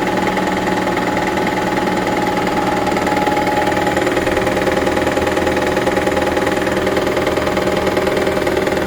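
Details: 2009 Toyota Prius Gen 2 after an engine swap: steady idle with a fast, regular tapping of roughly three per second over a buzzy engine note. Source of the noise is unidentified.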